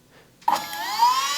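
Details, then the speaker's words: Willys Jeep with Kaiser Willys PS2000 12 V electric-over-hydraulic power steering pump, engine off, microphone close to the pump: after a 3-4 second delay the motor engages into a smooth even whirr, cycling fluid to self-purge air; normal. "The pump's running. So if I step over here where the microphone is a little farther away, you can hear it's running. It's cycling that fluid, so it'll self-purge the air out of the system because it's just running through there."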